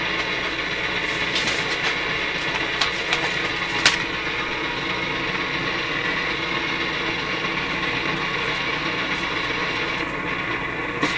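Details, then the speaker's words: Nordmende Norma Luxus tube radio with EL95/6AQ5 output tube, low output: sharp irregular crackles and pops over rumbling hiss, persisting with volume down, so noise arises after the volume control; intermittent, cause not pinned down. "it's still a noisy when i turn the volume down so the noise is coming after the volume control"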